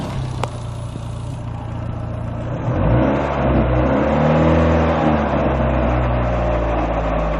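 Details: Second-generation Neon engine idles, then revs up with an uneven clatter about three per second riding over it; strange engine noise, owner unsure of the cause.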